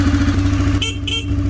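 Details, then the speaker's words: Arctic Cat ATV idling after a charging system fix, with two short, clear, strong horn beeps over the steady idle; normal horn operation. "And the horn works. Ring the bell. Ring the bell."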